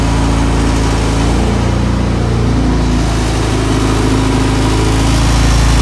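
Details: Engine in the Honda EG hatch project, pulled from a flipped-over Integra and feared to knock or have a spun bearing. Start after fuel lines were primed and hoses reconnected: deep, even idle, no knocking or tapping. It runs healthy, though coolant and oil leaks were found afterward.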